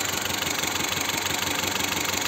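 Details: Car parked, engine idling with shaking: lumpy, pulsing beat with a recurring stumble in the firing; misfire on one cylinder, cause not yet found, injector check planned.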